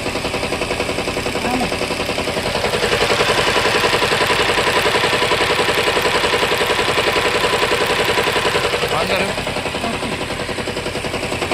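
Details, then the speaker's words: 2022 Toyota Camry petrol engine idling with an uneven, stumbling pulse from a misfiring cylinder; a faulty ignition coil was found and replaced, after which the misfire cleared. "य हमारे पास कमरी 2022 model इसका मसला है गाड़ी missing करती है तो अ इसका चेक करते हैं मिस फायर चेक करते हैं"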